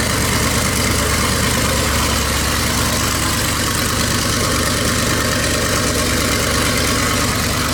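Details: Rat rod small-block Chevy 350 V8 started after its turbo cam swap and break-in, cam replacing the stock one, said to sound crisper: steady, even idle with a deep, crisp exhaust note, no knocks or ticks; normal idle.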